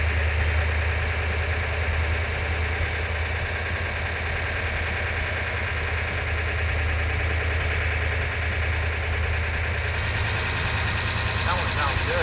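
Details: Rebuilt Mopar 340 V8, rebuilt after sand was found in the engine, now installed in the car and running on a ballast-resistor ignition. A deep, loping idle with an even beat and no knocking sounds as good as it did on the run stand: normal idle.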